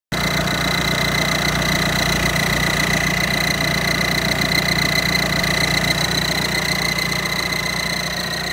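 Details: Audi A6 with EA189 diesel engine at idle: continuous sharp hiss-whistle over the engine note, first suspected as an EGR leak; actually a broken manifold stud let exhaust whistle out through the gap between manifold and block.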